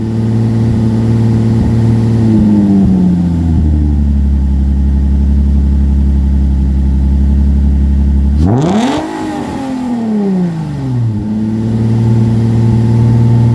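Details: 2005 Infiniti G35 Coupe Rev Up after about a year in storage: deep steady idle, then a sharp blip rising and falling cleanly back to even idle; healthy revving.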